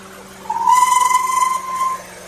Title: Squeaky sound? All good 🔥 #subscribers